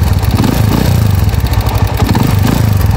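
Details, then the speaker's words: Motorcycle idling with loud, rough top-end mechanical clatter over a low thump; single-cylinder engine, tagged TMX155, engine noise and overhauling. "Okay from villasis Pangasinan mga Bossing Ayan maingay na yung makina"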